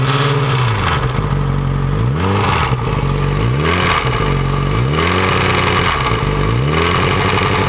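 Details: 2006 Yamaha R6 after a highside crash: metallic clatter over repeated quick revs, heard at idle on cold starts and louder at higher rpm even hot; cam chain tensioner spring not seating, slack chain slapping, confirmed and fixed by reassembling the CCT.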